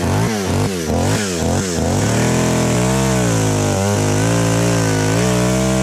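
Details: Chainsaw, after high-speed screw adjustment cured a bog: crisp throttle blips, then a strong, steady high-speed buzz that barely sags while cutting. It runs clean with good power under load.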